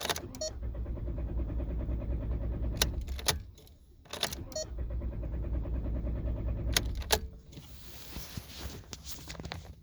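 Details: 2004 VW New Beetle with gauge cluster acting erratically: two cranking bursts of a few seconds each with clicks between, and the engine never catches; no-start, immobilizer suspected, not confirmed.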